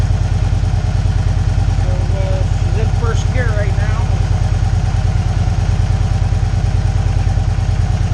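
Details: 2012 Victory Cross Country 106 V-twin, 47,000 miles, after shifter mechanism replacement for hard downshifting: deep, steady thump at an even idle rhythm, no knocks or clunks; healthy running.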